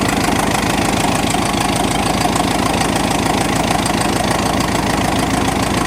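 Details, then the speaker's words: 1986 Ford F-150 running after a carburetor swap in cold, snowy weather. The idle is uneven and lumpy, with a loose irregular beat of about three pulses per second, stumbling rather than smooth. The carb needs adjustment; the owner suspects the original fault was fuel delivery from the tank. "well I think we can call that a big chief Revival uh up and running not perfect card needs a little bit of adjustment"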